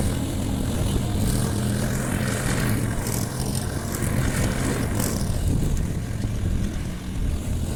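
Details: Briggs & Stratton Quantum engine on a Clipper lawn mower after spark plug work (previously wouldn't keep running after winter): steady drone holds speed cutting grass, no surging or misfire; normal running under load.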